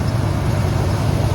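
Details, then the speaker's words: 1996 Ford Econoline E150 club wagon van, 5.8 V8, started after replacing a failed alternator (van wouldn't start); belt checked, a Gates belt; steady, even low rumble with no ticks, squeal or belt chirp, normal idle. "Now it's time to crank it up and see how it goes. Let's look at the belt. Make sure everything's running right."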